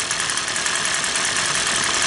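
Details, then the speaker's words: Two-stroke engine that the customer says had everything replaced: it idles okay but is thin, buzzy and oddly quiet, and will not rev up or make power. The mechanic suspects a plugged exhaust spark arrester screen, or possibly a faulty ignition coil not advancing timing. "See how quiet that is? I'm going to try and throttle it up. I bet you it's got a plugged exhaust. Seems to be idling okay. It will not rev up."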